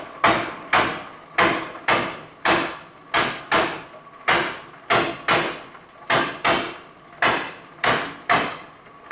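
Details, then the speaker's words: Up-down power feed screw drive on 12 volts, lifting slowly: sharp metallic clunks roughly every half second as the chain jumps sprocket teeth because idler sprockets are not yet fitted. "hear those gears skipping guys I think that's it for this video"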